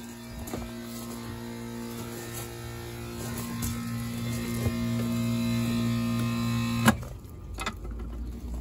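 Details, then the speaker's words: Old, rusted central AC outdoor unit not cooling: steady electrical hum but the condenser fan is not spinning. Caused by a failed run (dual) capacitor. "The unit isn't cooling. We hear something, but we don't see the fan moving."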